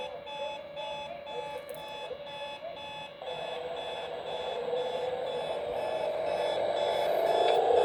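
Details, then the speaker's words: Hotel room radio alarm set to AM near an airport: fast steady run of high electronic beeps, three or four a second, growing louder; unexplained AM interference, owner suspects military jets or encoding. "It is set on AM, and we do have military jets that fly by."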